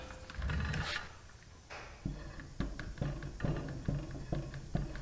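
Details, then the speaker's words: Dump trailer wheel gripped top and bottom and rocked by hand: hollow clunks about twice a second with a quiet background. This is excess play in a worn wheel bearing. "that's play in the bearing that's not good"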